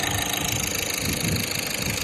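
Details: VW Vento engine idling smoothly and evenly with a steady hum and light, even valve-train chatter, no knocking, after injectors serviced and EGR cleaned to cure heavy knocking, jerking, smoke and low engine oil from a leak.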